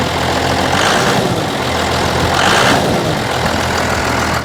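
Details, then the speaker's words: 1986 Ford F350 dually with swapped Cummins diesel, unrun about 6 months, on one small battery: steady, even idle clatter with no misses or knocks; a bit of blow-by, some smoke from tailpipe, good oil pressure, healthy motor. "Blow by care bit but not much it's a good motor man"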